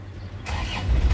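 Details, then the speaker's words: Black 2008 Isuzu Panther LS turbo diesel, engine still factory standard with no oil seepage: short crank, catches almost instantly on the first try and settles into a deep, steady clatter. "sekali cegreng ya langsung nyala mesin cegreng langsung nyala ya"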